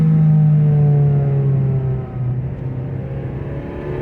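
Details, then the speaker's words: Nissan Altima under acceleration: pulls hard with rising revs then sags and stops pulling midway, revving very high with little progress; bogging under load, cause unclear. "I'm not even lying when it's like this thing has boost. It's like it blasts off and then it stops."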